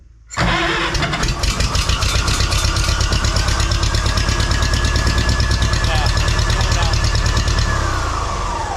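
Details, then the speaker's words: Farmall H pulling tractor with the muffler fitted: it fires up into an uneven, lumpy beat about three pulses a second; it is running rich, and the owner suspects a valve adjustment and carburetor tuning are needed. "yeah I think uh I think we're going to go with Valves and some carburetor adjustment she's definitely definitely running rich you can smell it"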